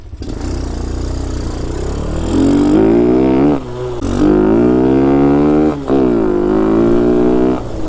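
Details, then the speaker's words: Hellcat 125 (TaoTao Grom clone) with 26mm Nibbi carb, now on a 120 main jet after the 115 ran very lean: clean revs climbing smoothly with no bog or stumble, pulling crisply. "is there a 120 in there a few moments later maybe no bog in there"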